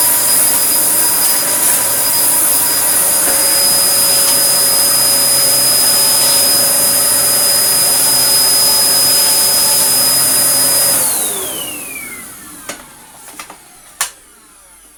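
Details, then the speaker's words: Dyson DC01 with a 1000 W motor, after its blown 3 A plug fuse was replaced with a 13 A fuse: a steady, high motor whine at even pitch that winds down smoothly after switch-off. Running normally. "it seems like it it's going to run you can hear"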